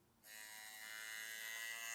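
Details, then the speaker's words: TATVIDA rotary tattoo machine with Mast cartridge at 4.2 mm stroke: harsh, high, loud raspy buzz; quieter at 7–9 V; cartridge membrane resonance suspected, not confirmed. "Ça va vous casser les oreilles de bosser avec ça, je pense."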